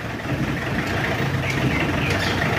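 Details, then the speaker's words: Mitsubishi L200 Triton diesel, worn with poor compression, idles with a heavy, uneven, limping beat; hard cranking, broken glow-plug button, injectors likely bad, raw white smoke mixed with oil, running hot, blow-by heavy; misfire-like rough idle. "suaranya juga pincang"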